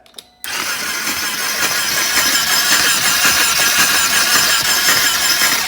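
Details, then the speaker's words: Flood-damaged 2020 Can-Am XMR 850 salvage quad, first crank after sinking: fast, uneven starter cranking with wet hiss, gurgling and spitting like a paintball gun, no firing; water in cylinders, plus a hose left undrained. "What's this gurgling up here? Is that water or antifreeze? Shoot, that sounds like some water in there."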